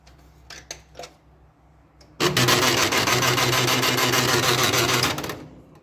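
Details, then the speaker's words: Old HP LaserJet P1102, noisy and jamming paper, running: harsh grinding rattle with rapid regular clicks from a broken gear, which was replaced with a second-hand gear. "Now his problem is that his gear is broken, and now I replaced him with a second-hand gear"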